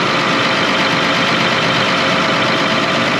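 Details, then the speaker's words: John Deere 9230 tractor, nine-liter diesel after a complete rebuild (pistons, liners, new camshaft) following blow-by and turbo concerns: dense, even diesel clatter at steady idle with no knock or miss; normal idle. "we got the engine back in the 9230 that had the engine problems and rebuilt the engine complete rebuild on this engine pistons liners new camshaft"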